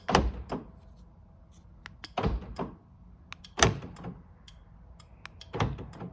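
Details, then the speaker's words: Aftermarket keyless entry module just wired to the car's power door locks, tested with the remote: crisp clunks in four quick pairs, lock and unlock firing promptly; normal power door lock operation. "and you can hear the module clicking every time I press on the remote"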